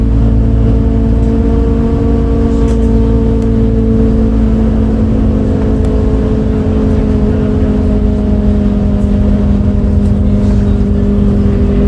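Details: Recorded 07-03-2022 aboard 2008 MAN Lion's City A37 bus 3477 (MAN D0836 LOH 63 diesel, ZF Ecomat 6HP automatic) on line 8 Eindhoven. A loud steady diesel drone carrying clear humming tones that sag slightly in pitch as it pulls; unusual engine sound, cause unknown.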